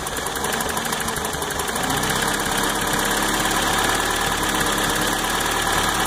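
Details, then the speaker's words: Toyota pickup after timing chain, oil pump and water pump replacement, with some exhaust work: lumpy, uneven rocking idle nearly stalling off throttle, smoothing somewhat with a little gas; owner suspects exhaust leak, cause unclear. "see how it's rocking a little bit really struggling but with a little bit of gas"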